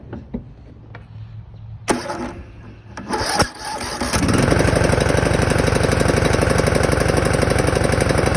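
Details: Husqvarna 42-inch mower with 18.5 hp Briggs & Stratton, after cleaning the dirty ignition coil and flywheel magnet that caused no spark/no start, and checking valve clearance: a few cranking thumps, then it catches and settles into a steady, even putter of about four beats a second; normal running.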